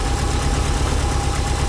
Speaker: 5 300 miles on the engine she still sounds healthy nothing crazy normal uh injector tick